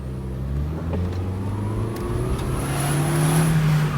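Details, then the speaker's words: 2000 VW New Beetle 1.8T under acceleration, boost only reaching about 4–7 psi: faint airy hiss over the turbo as it pulls through the revs; possible boost leak, unconfirmed. "Hear that hissing sound? Part of it is the turbo."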